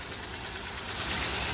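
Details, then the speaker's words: Truck likely with ZF transmission, 170,000 miles, electronic throttle, due for engine replacement: light steady tick over rough, uneven idle, flashing check light showing active misfire; mechanic suspects internal engine issues. Engine ticking with misfire at idle. "Okay, yes, it's picking up a misfire as we speak. That's called active, guys. So yes, he has some internal issues going on. Now I hear a ticking and I see a misfire."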